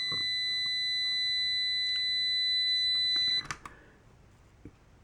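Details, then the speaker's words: Amprobe multimeter continuity beep on decade box near 50–60 ohms: steady high continuous tone about three seconds then cuts off; beeps at 60 ohms, off at 61, so threshold is 60 ohms. "Now we're still beeping at 60. Let's use this 61 off at 61. So, I'm going to say that 60 ohms is the threshold."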